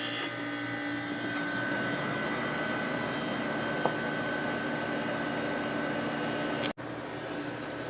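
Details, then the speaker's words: Late-1990s Whirlpool Accudry 40-pint dehumidifier, Italian-made compressor, reassembled after teardown, running a while on low at about 6.4 amps and 469 watts: smooth steady hum with faint high tone, no rattles or surging; normal. "It's at about 6.4 amps and 469 watts. Been running for quite a while now."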